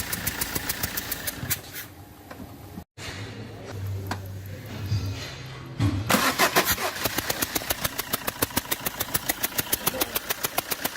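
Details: Fiat Multijet diesel engine cranks and catches, then at idle makes a sharp chuffing tick about three times a second. Compression is leaking past an injector seal.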